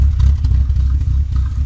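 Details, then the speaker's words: Chevy C2 2004 Comfort with check engine light, at idle; deep uneven idle that lurches, shakes and misses, smoking; mechanic attributes it to non-working oxygen sensors causing poor combustion, with an oil leak at the coil gasket; not confirmed. "marcha es completamente irregular en la parte de la cava el motor se escucha también"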